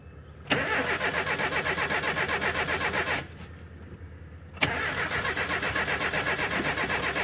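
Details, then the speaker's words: 1984 Nissan/Datsun 720 with Z24 four-cylinder (wasted-spark, 8 plugs), abandoned about 20 years, first start attempt with no throttle: steady cranking at about four turns a second, a pause, more cranking, never catches; owner suspects flooding. "I also gave it no throttle, so I'll crank it for a little bit. If it runs, awesome. If it doesn't, I'll try it at wide open throttle, just in case I did flood it."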